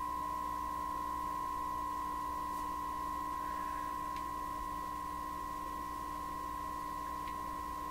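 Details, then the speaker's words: 1928 RCA Victor Model 28V repair, signal generator fed at very high level straight into the TRF signal tracer: steady ~1 kHz tone warbling about four times a second instead of clean, same garble as with the antenna; cause not yet found. "Listen to it. There should be a nice clean tone there. So we're getting the very same effect that my antenna was producing, now right out of the signal generator like this."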